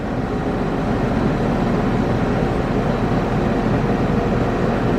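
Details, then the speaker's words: AC condenser compressor starting with newly installed ICM870 soft start, inrush cut from 118 to 44 amps at 60 Hz; steady deep hum with fan rush, no stutter or labouring, normal compressor run. "118 in rush to 44 amps and you see we got 60 HZ that's awesome"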